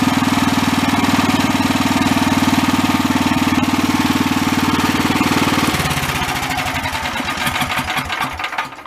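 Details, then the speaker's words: Small engine at high idle after a new NGK spark plug replaced a hot, glazed plug; the miss at high idle persisted after the carb work. Now steady rapid firing, about four beats a second, no skips, then it winds down smoothly at shutoff; the owner believes it was running lean. "I say we solved the problem. I swear it was running lean."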